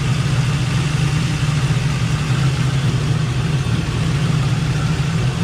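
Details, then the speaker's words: Chevy Nova V8 idling hot (about 186°) after a thermostat replacement; smooth, even low rumble with no knocks, and the earlier bizarre rattle, suspected to be the grille resonating through the body, is gone; normal idle. "I think the rattle is is gone I mean I haven't heard anything since I started it again so maybe it was just that Grill"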